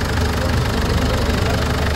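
Dense, steady diesel clatter at idle with an even rhythm and no clunks or thumps; the engine sounds healthy.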